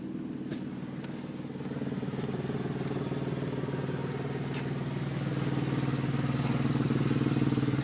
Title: Strange engine sound Porsche 996 Carrera 2 -03